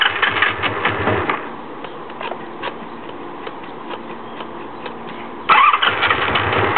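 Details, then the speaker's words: 1984 Honda Magna V65 with the choke pulled down: the engine catches with a ragged burst, sags to an uneven stumble, then flares but won't keep running. It later ran with choke off at full throttle. Cause undiagnosed. "Yeah, it sounds like she wants to go, but she's not staying. Oh, she's not staying with us."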